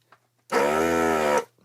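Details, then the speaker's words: Hakko 808 desoldering station's vacuum pump runs about a second while desoldering capacitors from a board; steady, even buzzing hum that starts and stops cleanly, its pump sound changing more dramatically than on the owner's other Hakko; normal vacuum pump operation. "So this one, the pump sound changes more dramatically than on my other Hakko."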